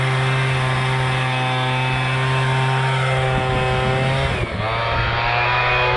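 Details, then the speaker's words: MTD Bolens BL125 two-stroke leaf blower after carburetor repair and adjustment, previously bogging and not starting: steady high-pitched scream, dips briefly on throttle blip then recovers; running smoothly. "okay we but started up now put it on run you guys can [Applause] hear it's running perfect now let's try her out"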